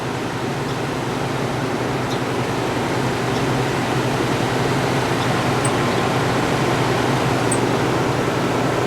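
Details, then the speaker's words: 1967 Chrysler Airtemp 6000 BTU window AC, model L06-72, compressor and fan running: steady hum and fan rush, no surging; cooling well with no coil icing, unit working normally. "It seems to be working pretty good, actually."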